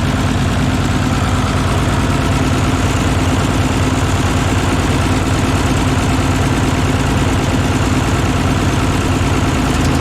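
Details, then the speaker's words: Old tractor idling cold just after start, exhaust pipe off the manifold modified, muffler mount leaking exhaust downward: loud, steady, even chugging with no skips or knocks, manifold apparently not leaking, normal idle. "Manifold appears not to be leaking, which is good. This is cold right now, so we'll let her warm up here"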